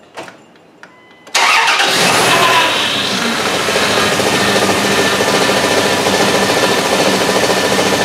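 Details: Dodge Dakota just after power steering pump replacement and O2 sensor install, fluid level adjusted. Engine fires at once and settles to a smooth, even idle with no whine or groan from the steering pump; normal idle.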